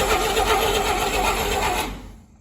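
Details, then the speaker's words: 1959 Rambler, 195 flathead inline-6, automatic, parked for years; starter held engaged by hand on the flywheel; short burst of fast grinding cranking winding down within two seconds; starter not strong enough to engage the teeth by itself. "what it is it's not strong enough to engage the teeth by itself"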